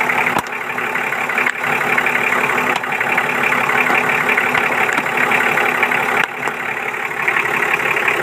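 Steady idle with an even beat and no stumbling or surging; a couple of light clicks in the background. The engine is running normally.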